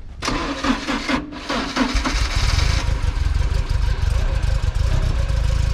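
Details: 1966/1967 VW Beetle, first start since 2014: a few uneven cranking bursts, then the engine catches and holds a steady, low, even idle; runs fine after long storage.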